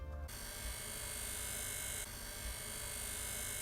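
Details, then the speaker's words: MacBook Pro: steady hissing whir with faint high whine from cooling fans, likely defective or very dusty inside; cleaning with an air duster can is suggested. "the type of noise that you're hearing inside your MacBook it could be a very good chance that the cooling fans could be defective or it could be very very dusty inside"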